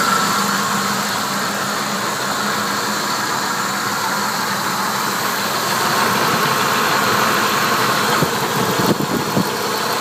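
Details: Engine with good spark plugs and a new flywheel and hardware: a light tick about four a second at steady idle, heard from the bottom of the engine; owner suspects a broken lifter, unconfirmed.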